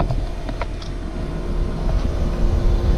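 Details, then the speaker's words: Newly installed ACiQ heat pump after pinhole braze repair and 250-micron vacuum, heard at near full throttle: deep, even compressor drone with faint steady tone, no rattles; runs smooth and quiet. "so at this point it's running pretty much at full throttle and it's quiet"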